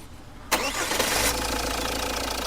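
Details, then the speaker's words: Jeep Compass, restarted repeatedly after flywheel work to cure a clunk on starting: it cranks and catches cleanly into a smooth idle with no clunk from the flywheel, and the clutch is smooth. Normal start. "बंद करो करो start भाई कोई आवाज नहीं गाड़ी के अंदर बात समझ रहे हो ना"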